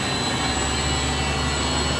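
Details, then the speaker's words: Refrigerated pneumatic air dryer running after copper leak repaired with coupling, liquid line drier replaced, evacuated, recharged with R134A and condenser cleaned; dew point 32 degrees, 100 psi air in; steady dense roar of fan and compressor with fixed high whine, normal running. "Right now it's running. Actual dew point is 32 degrees."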